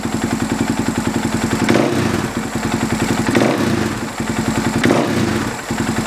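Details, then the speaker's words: Husaberg FX450 single-cylinder idling with an even thump and small throttle blips after a Dirt Tricks timing chain tensioner replaced the stock hydraulic one; the cold-idle chain knock is gone. "so let's fire it up and see how it sounds I don't know about you but I don't hear any noise"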